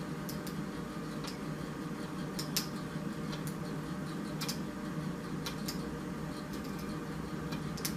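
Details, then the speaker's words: Mercury Optimax outboard electric pump, wiring checked with good continuity: faint irregular clicks over low hum, no motor spin-up; energised but not turning, pump suspected faulty. "I hear it engaging, but it's not pumping. We're not engaging. I hear it clicking."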